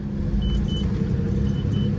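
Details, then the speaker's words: Volvo Penta 4.3 V6 GXi marine engine with lack of power, after cleaning fuel pressure regulator and intake, filter found dirty; lumpy uneven rumble, still running rough, slightly better; owner suspects injectors need cleaning. "now I'm just going to do a test I don't think it's gonna work because it still sounds like it's running pretty rough but the filter was definitely dirty"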